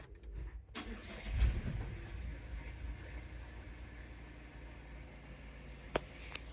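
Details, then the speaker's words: Mazda CX-5 after replacing the faulty ABS module that had caused lost-communication codes: quick crank, catches at once and settles to a quiet, even idle; normal start, and the parking brake and tailgate now work. "right, so it starts up just fine."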